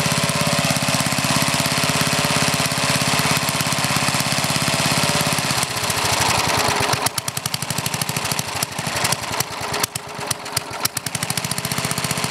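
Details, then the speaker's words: Older Briggs and Stratton, one-piece Flo-Jet carburetor, air filter off: even idle for about five seconds, then ragged and uneven with stumbling beats as the mixture screw is turned in; idle mixture too lean. "I'm going to make it R run lean you going to hear what it does when ad tries to lean"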